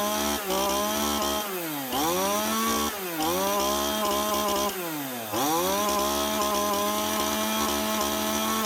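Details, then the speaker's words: Stihl MS181C two-stroke chainsaw cutting after a carburetor rebuild with a cheap kit on its aftermarket carb (before repair it ran rough, low on power, then wouldn't start). Revs crisply and drops back cleanly, pulling strongly, settling to steady idle; running normally. "that's her one stall ms1 181c chainsaw up and running again with a little carb rebuild kit nice sweet simple repair"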